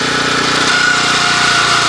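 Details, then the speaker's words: 1981 Honda F200 garden tiller, run after sitting about a year, tines lifted and spinning free: steady, even, light unstrained buzz, less labored than under load, like a car idling down the highway; normal running. "And you can notice the different sound that it makes. It's a lot less labored. So this is kind of just like a car idling down the highway."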